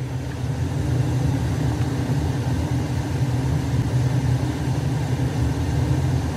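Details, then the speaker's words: Weil-McLain 305,000 BTU hot water boiler, over 40 years old, high CO: deep steady burner rumble swells as gas valve pressure is raised from 2 to 3 toward 3.5 in WC; regulator suspected faulty, boiler condemned. "so he wants me to turn us back to 3.5 you can hear it increasing here i'm a two i'm at three"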